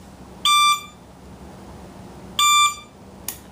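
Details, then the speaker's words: 1977 Honda CB750K motorcycle, key on before starting, batteries recently charged after the bike sat for years. Two short, shrill electronic beeps timed with the flashers. The turn signal beeper is working normally. "I didn't know they beeped your horn start it up"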